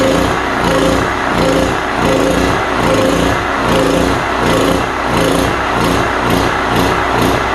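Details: Cheap import generator engine held running on choke, steady drone with slow uneven waver, won't run without choke; a plugged carburetor is suspected and is to be cleaned.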